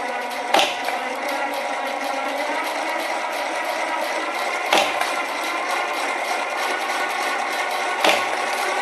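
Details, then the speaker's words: Homemade SPP cutting machine, 0.023" stainless MIG wire, 24 V probe triggers solid-state relay and solenoid guillotine, speed ~4 with PWM buzz: fast even sewing-machine clatter, sharp cutter snap every three to four seconds; running normally. "i get a little buzz from the impulse pulse width modulation and let's start removing it sounds like a sewing machine"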